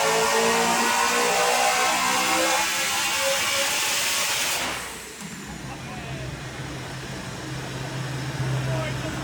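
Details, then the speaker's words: Supercharged BMW E90 M3 on the dyno, rebuilt after an April 2023 engine failure: a hard, even roar pulls strongly for several seconds, then drops sharply to a low steady rumble; a healthy engine under load. "I'm so happy that this car is now finally back and running like it should I hope you guys can even understand me because this is probably right now the loudest [ __ ] car I own it's crazy you're going to hear it in a minute"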